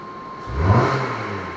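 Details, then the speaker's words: 2016 Kia Sportage after a significant collision, throttle body fault code, codes cleared with XTOOL D8: engine starts and revs cleanly in one smooth rise and fall; throttle response now good, normal. "And we have good throttle now."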